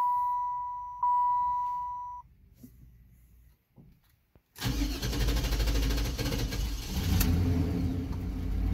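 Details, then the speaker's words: Cadillac Fleetwood, morning hard start: chime, then seconds of weak cranking with key held before the engine catches and idles, sometimes stumbling; owner suspected fuel pressure regulator, cause found to be a bad fuel pump. "see like that that's a hard start i remember about um three years ago all i had to do was just turn the key and that was it but this i have to hold it for quite some time for it to start"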